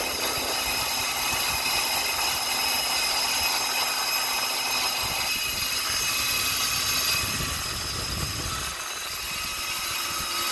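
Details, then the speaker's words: Copeland compressor making noise and cutting off: harsh, high rattling buzz shifts partway, then the compressor drops out while the fan keeps running; noisy compressor, cause unknown. "And now the compressor is off, but the fan is on."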